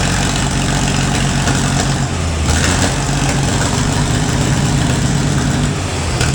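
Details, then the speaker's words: Gleaner A combine's Allis-Chalmers 230 cu in engine, running after years of sitting, a rat nest cleared from the exhaust and the wiring fixed: steady, even low rumble with smooth idle, no knocks or misses; normal idle. "the OA 16925 um Alice chamers that is a 230 cubic inch engine runs really well for all it's been through setting for so many years"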